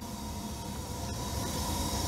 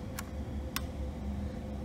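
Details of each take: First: Furnace started manually by jumpering the thermostat W and R wires because the thermostat isn't calling for heat: steady low hum with a faint tone building as the burner and blower come up. Furnace starts and runs normally. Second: it does click gives me a nice little reassuring click tells me the heat's on but you know nothing happens in the house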